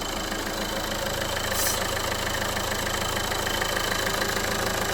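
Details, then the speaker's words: 2011 Renault Clio 1.5 dCi, 226,432 km, cold idle: irregular light ticking about three per second with a brief hiss, noise mostly when cold; torn PCV breather membrane in the valve cover. "A ver, temos ali aquela membrana aqui do respiro do motor. Esta membrana está furada e o carro a frio, principalmente a frio, faz ali uma coisa assim."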